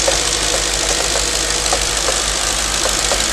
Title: Knocking noise after warm up..can anyone tell me?